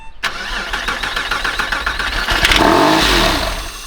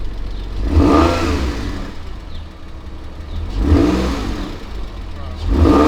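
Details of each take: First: Crash-damaged 1999 Porsche 911 (996), not started in about 12 years, no coolant, no fuel pump, on starting fluid: steady cranking at about 3.5 beats per second, then catches and runs rough and uneven briefly. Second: Crash-damaged 1999 Porsche 911 (996) flat-six, first start in about 12 years on old gas, no coolant: three clean throttle blips rising and settling to steady idle without misses or knocks; normal revving.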